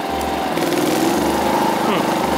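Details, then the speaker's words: WAKITA HPG2300is 2.3kVA inverter generator, unit 1, with an 800W heat gun switched on: rpm dips sharply as the load comes on, then the governor brings it back up; eco switch on, hot air flowing, generating normally. "ガバナも開いてでエコノミースイッチね今これオンになってるんですけどま自動的にね復帰して使えるようになってるという感じですねで熱い風出てますから発電はしてるということで間違いないと思いますうん大丈夫ですね"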